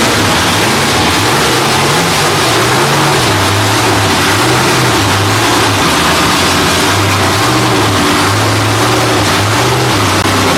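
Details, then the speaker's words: Freshly rebuilt Holden 308 V8 on a part chassis, first start attempt: starter churns it over evenly, but it never catches because the gauge shows no fuel. Cranks but no start, no fuel. "on the gauge. On the gauge. No fuel, no fuel."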